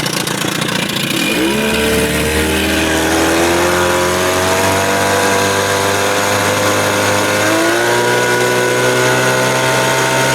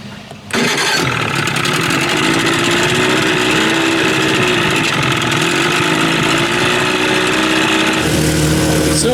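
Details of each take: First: Evinrude 30 hp outboard on its first run after an under-flywheel CDI conversion, run almost but not quite at wide open throttle to clear cobwebs. Winds up and holds a clean, steady high buzz with no misfire: sounds pretty good, normal. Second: Evinrude 30 hp outboard, first run after under-flywheel ignition conversion; catches and runs with busy, uneven buzz that never settles, doesn't sound right; cause unclear, CDI has 6100 rpm rev limiter: rough running.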